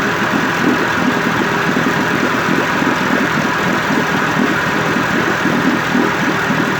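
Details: 1958 Evinrude 18HP Fastwin two-stroke outboard after rebuild (replacement powerhead, new rings, crankpin bearings, NGK B6S plugs), 30-weight oil mix, in water, cover on: smooth, even steady idle burble, no misses, knocks or rattles; healthy.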